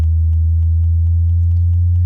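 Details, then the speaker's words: 2021 Toyota Avalon with upgraded JBL system after sound-deadening treatment: steady deep bass test tone sweeping the low end around 80 Hz plays cleanly, with no buzzing or rattling from the panels front or rear. "so we can cycle through the entire range of low end and just kind of verify that we don't have any buzzes"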